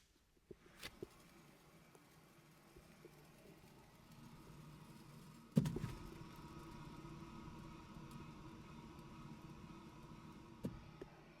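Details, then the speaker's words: BMW 318i wheel hub spun by hand before bearing replacement: low, rough continuous rumble instead of a smooth quiet spin, beyond normal pad-on-rotor sound; bad wheel bearing. "yeah that's rough sounding it should be running smooth when you spin it you should just maybe just hear the pads on the rotor just interacting but you should not be hearing any rough sound like that bad wheel bearing"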